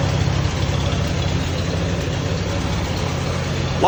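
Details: Allis-Chalmers WD tractor engine idling normally just after starting cold in a shed at about 35–36°F, choked then choke pushed in, after fuel sediment trouble; steady even low idle, smooth beat, no misses or knocks, running properly.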